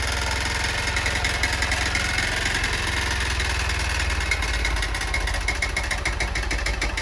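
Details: Honda Bros 160 single-cylinder motorcycle at steady idle with a dull regular knock every revolution; owner suspects piston knocking near the cylinder head, maybe needing a cylinder-piston kit; cause unconfirmed.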